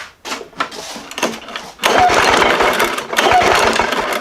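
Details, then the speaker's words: Lawn Boy push mower that intermittently loses spark after sitting (corrosion found at plug wire–coil connection, aftermarket coil tried and worse): sharp irregular snapping over rough cranking whirr as spark jumps a widened gap on a spark tester; coil firing. "I can hear the snap in this park open that spark tester up a little bit more"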